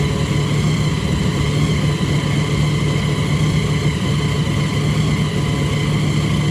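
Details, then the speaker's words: Supercharged big-block V8 truck after Terminator X EFI conversion, restarted with a fresh tune, idling around 1500 rpm: deep steady rumble at raised idle with no misses or stumbles; running normally after re-tune, self-learning still to continue. "as you can tell, you got it running a lot better. Tune seemed to do the job."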